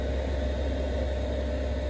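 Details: Newly fitted diesel heater in Luton van camper, first test run: steady even low hum and airy rush with no knocks or surges; running smoothly.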